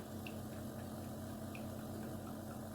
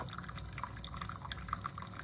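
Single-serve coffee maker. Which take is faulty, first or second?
first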